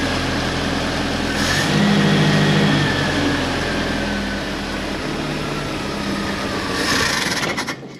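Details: Premier 118 NE car revived after sitting unused for a long time: even engine hum rises briefly as it is blipped, then settles back to a steady idle; running normally.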